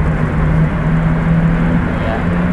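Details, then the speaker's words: NB Mazdaspeed MX-5 Miata turbo under full-boost acceleration after an apparent fix of an exhaust leak from a stripped stud: steady low engine drone with rising pitch, no ticking or puffing; runs better than before. "well i can see i can say the terrible is working oh i can say the turbo's working all right so it's running better than it was before i'm pretty sure we've fixed that exhaust leak i'm not hearing the same sort of noise that was coming from the engine bay which is excellent"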